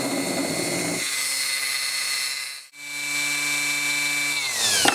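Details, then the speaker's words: Briggs & Stratton starter motor from a 10 hp engine, run on a battery after cleaning and reseating the brushes, cleaning the commutator, greasing the bearings and replacing the gear: a fast, even electric whine briefly dips, then comes back up to speed. This is healthy brush seating. "this one does like the last one I rebuilt it'll uh run real fast for a while then it'll slow down and come back up to speed but we'll see how this one"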